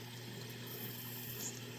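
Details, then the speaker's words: Dishwasher that would not start, with the start light flashing: after the drain pump stops, a soft, steady hiss of water filling with a faint low hum and no drips or gurgles. Normal fill, no leak underneath. "it stops and I can hear the unit filling up there is no leak under here"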